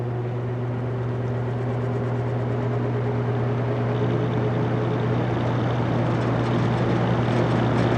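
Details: Vintage General Electric 3-speed reversible box fan, heard from the back going from medium to high: even low hum with airy blade rush swelling slightly, no rattle or scrape. Normal running.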